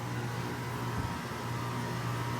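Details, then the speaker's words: Three Goodman GSZ14 heat pumps running together on an 80° day: steady even low hum with smooth fan rush, no rattles, knocks or squeals; normal running. "So yeah, here are all 3 Goodman heat pumps running."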